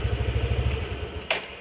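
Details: Yamaha NMAX scooter that had a harsh noise near full throttle and on throttle release: even, low putter with a steady beat and no harsh rattle once the noise vanished after pressing the tensioner; engine sounds clean and healthy.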